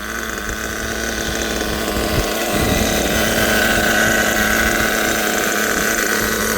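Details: Kyosho USA-1 nitro RC truck, transmission shift points being adjusted (second gear now right, third next), windy outdoors: high, buzzy small engine holding a smooth, even idle with no stumbling or surging, healthy.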